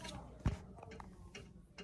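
Sharp dry ticks, about three a second, from a floor-heating valve with a worn internal spring.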